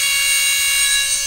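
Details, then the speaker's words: Brand-new FPV quad with preproduction brushless motors, motor at about 90–100% throttle: piercing steady high whine with shrill overtones; all motors this noisy, owner unsure whether imbalance is the cause. "It's freaking obnoxiously out of balance. Or maybe not out of balance, but it's obnoxiously noisy. So, all of the motors are like that on this quad."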